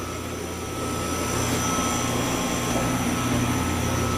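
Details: New compressor on a pump-down system, installed on a walk-in freezer after the old compressor's internal leak: steady compressor hum with an even fan whir and a constant high tone, no rattles or knocks; running normally.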